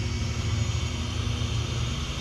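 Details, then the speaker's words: ZD Racing Thunder B-10E buggy kit on a 3S 5200 mAh battery with unchanged gearing, on a full-throttle speed pass reaching about 43.7 by GPS: even high electric whine over a steady roar of gears and tyres. Healthy drivetrain, normal full-throttle run. "Let's give another pass. That's full throttle. Oh goodness. 3S screaming."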